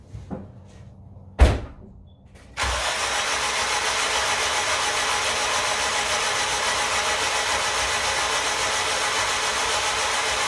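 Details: AWD Honda Civic EM2 with a new turbo and full exhaust, in neutral: spark plugs out, cranking to force oil into the reconnected turbo oil line. A few clunks, then a steady even whirr with no firing or compression pulses.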